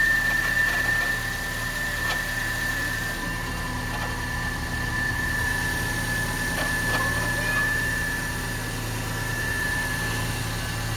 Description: After check the Mechanic he found the sound is coming from "AC and Generator" bearings.